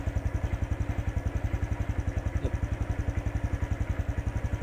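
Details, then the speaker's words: Honda Wave 110i that started hard and stalled on acceleration, after replacing the worn spark plug cap: starts first try, accelerates without stumbling, even putter about 220 pulses a minute, normal idle. "สตาร์ทครั้งเดียวติดเลยเร่งไม่มีสะดุจเครื่องยนต์กลับมาเป็นปรกติ"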